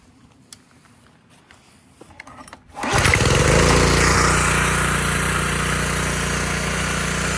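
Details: Subaru EA190V pressure washer that had not run in years, after carb cleaning, replacement with a cheap Amazon carburetor and dealing with questionable fuel: pull start catches into a steady, even drone that holds speed; normal running.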